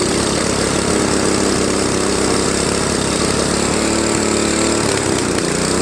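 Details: Tecumseh Snow King 5.5 hp 195 cc engine on a Craftsman 24-inch Trac-Drive snowblower, stored a year with a gummed carb, cleaned; carb gasket leaking fuel; steady idle then speed sags and hunts, mild surge at low idle.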